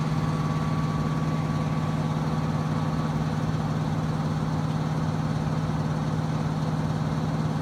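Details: Trane XB HVAC unit under a year old, air filter cleaned after construction dust: loud steady low drone with a faint higher whine early on, no knocking, when heating; cause not yet known.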